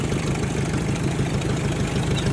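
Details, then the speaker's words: 1956 Ford 800 petrol tractor, bought at auction, sat outside about a year, with new clutch and carburetor, first start on choke: steady low, even chugging with no misses or knocks, idling on its own; normal idle. "got a runner there boys might have been hard to hear the Koda there but he's pretty quiet see if she'll stay running"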